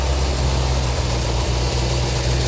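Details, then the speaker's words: 1985 Chevy Corvette C4 V8 swamp rescue after engine work, with oil spilled on the manifolds burning off: deep, steady idle with an even beat and only a faint occasional spit; running smoothly. "owner but look at this first time ever look how smooth that is"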